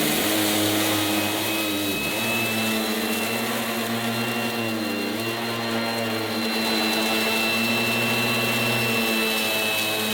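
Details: 1980s mains-powered Goblin Roto handheld vacuum cleaner with rotating agitator brush during demonstration: loud, steady high motor whine over a brush hum, dipping briefly under load; very noisy but running as it should.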